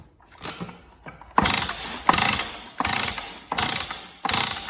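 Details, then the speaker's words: Stihl cut-off saw (one of a TS350, TS360 and TS410 bought cheap) pull-started repeatedly, about one and a half pulls a second, with a raspy squeaky rattle and never catching; good spark confirmed, owner suspects bore or internal damage from dust. "nothing uh so I could well have damage and it sounds a bit squeaky as well"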